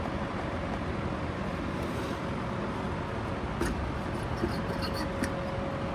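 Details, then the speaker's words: Vintage Rainbow D2 canister vacuum, motor running partly disassembled with shroud off: harsh, gritty steady roar with constant hum, sounds really bad; motor bearing failure, seals possibly never serviced. "So this thing sounds really bad."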